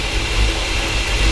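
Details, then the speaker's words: Ford F-350 started after sitting for years, once the grounds were reconnected, on a 33-degree day: a low, lumpy V8 idle that hunts and stumbles over a hissy background; suspected vacuum leak, gas smell, oil leaking; running rough. "definitely running a bit rough it sound up the little boy"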